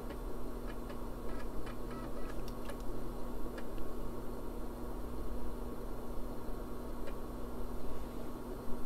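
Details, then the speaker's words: IBM 386 PC with an added IDE CD-ROM, during a failed Windows 98 install attempt: quiet hum with light, quick clustered ticks as the floppy drive head steps across the disk, reading normally. "reading the floppy [Music] drive our hmm and dry bar is the cd-rom drive they may be able to hear the head spinning back there"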